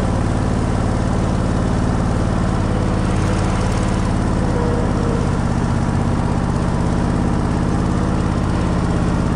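Loud, low, steady thrumming engine at a constant speed with a slightly uneven beat underneath; it sounds like it is running rough.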